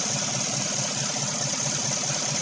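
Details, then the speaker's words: 2016 Chevy Silverado 1500 with 5.3 V8 and code P0300, at idle with a regular low thump about five times a second and a steady lope: still misfiring with the engine shaking, cylinder 7 misfiring; a fouled plug is suspected. "she doesn't want to communicate anymore it is still missing you can see the engine shaking"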